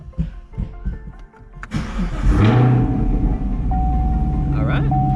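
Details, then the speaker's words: 2017 Camaro SS 1LE started after installing a Lethal Garage flex fuel (E85) kit and letting fuel prime; brief crank, catches at once and settles into a steady, even idle with no stumble, a clean start. "right up, looks good, everything is installed."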